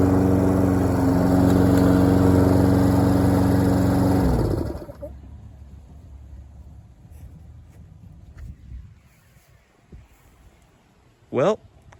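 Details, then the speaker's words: Troy-Bilt self-propelled lawn mower, after a needle seat fix and months of sitting, mowing: steady, even drone holding speed without dips or stumbles, then shutting off; mowed well with no hesitation, healthy under load. "Hey, it mowed really good. It didn't hesitate or struggle or anything like that. It mowed really, really well."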